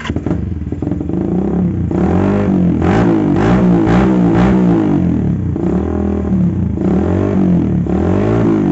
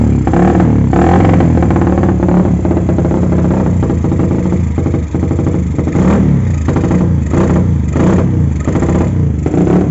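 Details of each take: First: Carbureted motorcycle with vacuum fuel tap, previously stumbling at idle and low-mid rpm, after fuel vacuum fix with no carb or plug changes: revs rise and fall cleanly, idle restored, no stutter; normal idle and revving. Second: Carbureted motorcycle with a vacuum fuel petcock, ignition and electrics good and carb already cleaned: uneven, stumbling idle with irregular surges and a sucking carb; it runs rich and wasteful at idle and low rpm because the faulty petcock passes too much fuel.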